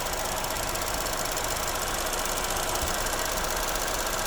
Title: Corsa E Rattling Sound